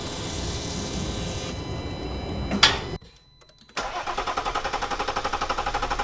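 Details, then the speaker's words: 2020 Jeep Wrangler JL EcoDiesel, first start just after fuel filter replacement at 20,000 miles, primed by cycling the key 10–15 times. A long uneven crank with a brief stall, then a pulsing, lumpy idle pointing to air still in the fuel system. "it's a little bit of a rough crank i was nervous there uh but honestly i probably prime the system turn the key on and off maybe 10 15 times"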